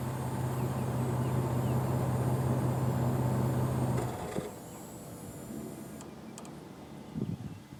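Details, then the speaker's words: 1998 Chevy S10 revved after fitting a new Walker muffler and welding the exhaust to cure a long-chased exhaust rattle; low, even drone pulsing about four times a second, fading cleanly with no buzz or rattle; normal exhaust note. "I might do uh a few uh revs for you to show you how quiet it is"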